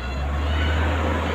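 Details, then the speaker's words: Airmax stand electric fan, bought secondhand, running after repair: fault was only a blown fuse, bushings not replaced as free wheel turns freely; steady low motor hum with smooth airflow, no rattle or stutter, starts immediately. "Ibig sabihin, fuse lang talaga. Kita nyo, umandar na agad."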